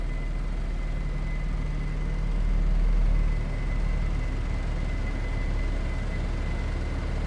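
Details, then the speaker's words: 1975 Chevrolet Vega 2-door hatchback, small four-cylinder, hood closed, no dash lights, coolant light normal: steady low even idle rumble with no tapping, knocking or stumbling; runs pretty good; normal idle. "Sounds like it's running pretty good."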